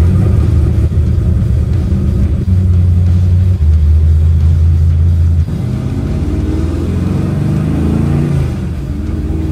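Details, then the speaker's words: 1970 Chevrolet Nova, GM 572 ci big-block V8, carburetor retuned, ignition timing locked out, Tremec TKX 5-speed, Strange 9-inch 3.50 rear; road test: deep throaty rumble climbing cleanly through gears, no stumble; more responsive low-end torque after tune. "that feels really good it's really responsive yeah the the torque you can tell it a lot more torque when you get on it light throttle than before because that distributor's locked out"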